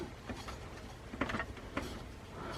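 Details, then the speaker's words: New desktop PC build at first power-up: light uneven ticks and scrapes about every half second over faint fan whir as a blade hits something; owner suspects fan disturbed while cleaning or something stuck behind it. "I was cleaning oh no it's touching something yeah it's definitely it's definitely hitting something"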